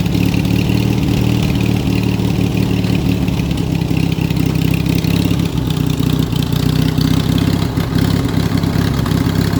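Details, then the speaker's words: Yard Machine riding mower after clean-up, steady even single-cylinder thump at constant speed, no knocks, misses or surging; owner says it runs like a beast, blades, forward and reverse work. "Hell yeah, guys. This thing runs like an absolute beast. Sounds like she's got a chop in there."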